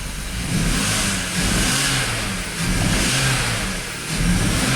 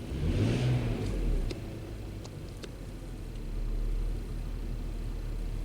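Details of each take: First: BMW X5 with a misfire, part 2, in cold weather (about 20°F): revs rise and fall in repeated blips with a lumpy, uneven note while injectors are being disconnected for testing; the engine still misfires with the same codes. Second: BMW X5 in cold weather (about 20°F), warming up, fuel trims around 10 during misfire diagnosis: short blip of revs, then a steady even idle with no stumbles or skips; engine now running smoothly.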